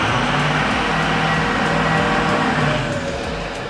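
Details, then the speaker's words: 2005 Ford F-350 Power Stroke diesel after replacing the blown original intercooler with a CSF all-aluminum unit: steady idle with a faint high turbo whine, no knocking or hissing; normal, problem fixed. "Yep, that's what we're looking for. All right, well, the clock on the wall says it's time to go to daycare, which is good timing because we heard that nice little turbo whine, which means we got our problem fixed."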